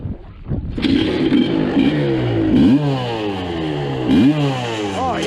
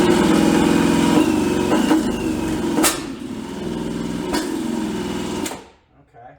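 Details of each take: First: 1986 Suzuki LT250R two-stroke ATV revived after years sitting, with broken pickup-coil wires fixed for intermittent spark: crisp, eager blips falling back cleanly with no misfire while clearing smoke from the pipe; normal revving. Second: 1986 Suzuki LT250R two-stroke ATV, abandoned for years, spun by a drill on a socket after repairing broken pickup-coil wires: steady drill buzz with two isolated pops. Fuel starvation, since the plug came out dry; carb floats suspected.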